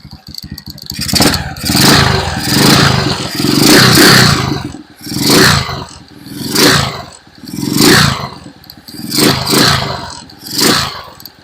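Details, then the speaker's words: Euro 150 motorcycle after carburetor cleaning for an overflow problem (ignition spark tested strong), warming up: single cylinder revs up and drops back cleanly, crisp pickup, no misfire or hesitation; now running normally. "At 'yan na nga. Okay na siya. Pinapainit pa natin para mas gumanda yung ano niya."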